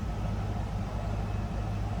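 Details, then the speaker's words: 1995 Ford Mustang GT convertible, 5.0-liter V8 with automatic, heard from the rear: stock exhaust, low steady burble at idle, even and smooth with no ticks or blow; normal idle. "No crazy exhaust. Sounds like a stock Mustang GT from '95 with a 5-liter"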